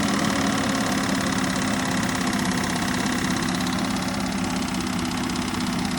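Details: Holden VK Berlina's engine, claimed by the previous owner to be a 186 bored to 192 (doubted), run on a stand. Loud steady drone with a faint irregular knock underneath; possibly rod noise, cause unconfirmed, engine later abandoned.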